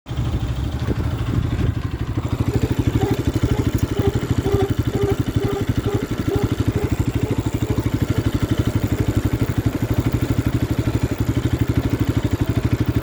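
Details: Bajaj Pulsar RS 200, unresolved four months after purchase: rhythmic scraping about three pulses a second over the running engine, tied to wheel speed; brake noise.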